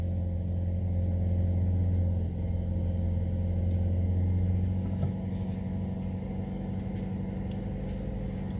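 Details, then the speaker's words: Car just started after sitting unused, warmed up to keep the battery charged: steady low hum at a raised idle around 1500 rpm that eases down slightly on its own; normal cold fast idle. "Kita tunggu sebentar, soalnya kalau baru nyala ini di kisaran 1500. Nanti akan turun sendiri."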